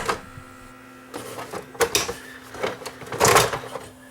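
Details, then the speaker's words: Sony DVP-C660 DVD player with jammed disc tray: small motor whirs in uneven spurts with scuffing and rattles but the tray never moves; worn rubber drive belt under the tray slipping, needs a new belt. "You hear the motor trying to turn, but it's slipping. You can hear the belt slipping. You can hear the motor running."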